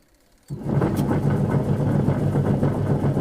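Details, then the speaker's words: LG washing machine that gets very loud when loaded with clothes; motor kicks in to a heavy rumbling hum with a regular throb about four times a second. Worn wash gearbox. "तो तो जब हम इसमें कपड़े वगैरह डालते हैं तो बहुत ज़्यादा साउंड आवाज़ आने लगती है।"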